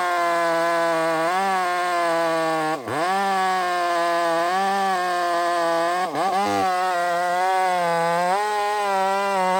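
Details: Chainsaw on a hazard-tree removal: a high, steady two-stroke buzz sags sharply twice, near three and six seconds, as the cut loads it, then recovers. It sounds rich-running and fat.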